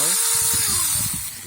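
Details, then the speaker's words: 2001 Chevy Venture windshield washer pump, previously stuck and freed up, bench-tested on 12 volts: small motor whirs with steady high whine then winds down, no grinding; washer pump running normally. "So I'm going to test it, show you guys now that it's working. So you can hear it's working now."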